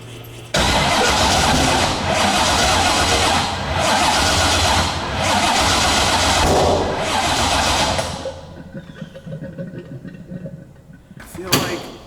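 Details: C6 Corvette drift build, 427ci single-turbo LS, first startup attempt: long steady cranking about eight seconds, even starter rhythm, never catches; owner suspects the starter button latching on and a voltage issue shutting off the ECU; crank, no start.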